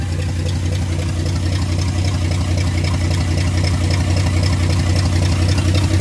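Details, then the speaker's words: Freshly rebuilt carbureted "Frankenstein" truck engine after moving the idle control forward to lower the too-high idle: a steady, even low idle with a smooth regular pulse and no hunting or misses. The idle is now correct. "All right, so what did you do? Because whatever you did, fixed it. So I brought the idle down forward."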